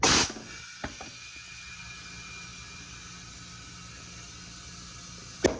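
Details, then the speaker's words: 1979 MGB, old previously plugged 185/75 14 tire fitted and inflated: a short burst of air, then a steady thin hiss for several seconds as air escapes through a hole in the tire. "Woo! Nope. There's a hole. Good. Come on, man. Well, I see why it wasn't on a wheel anymore."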